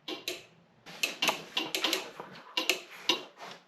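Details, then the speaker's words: 1972 Pontiac Ventura Sprint barn find with newly installed engine and transmission, key on: horn relay/solenoid chatters in sharp uneven clicks, reacting to touch; owner suspects broken parts or grounding inside the steering wheel. Suspected horn relay chattering. "it's the horn solenoid going crazy hey oh it's all based on you touching it"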